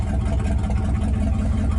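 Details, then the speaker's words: 1959 Ford Galaxie started after sitting, driver's-side muffler rotted out: loud, deep, throbbing idle with an open, rasping exhaust note. This is an exhaust leak. "so I got some exhaust work I got to do to this one to the down pipe oh he's just got a big hole in it"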